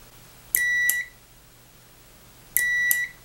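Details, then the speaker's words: 12V relay switched by an Arduino for a treadmill linear actuator, tested with a multimeter on continuity: a half-second beep about every two seconds as the relay contacts close properly each cycle. "so that means it's making the connection yeah it's not making a connection yeah it's not"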